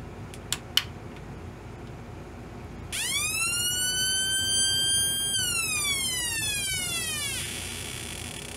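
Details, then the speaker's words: Homemade electronic oscillator siren built around 1972, American police-style: with a second electrolytic capacitor paralleled across the suspected dried-up timing capacitor, tone glides up, holds, slides smoothly back down; much closer to original sound. "that's much better much closer to what I remember"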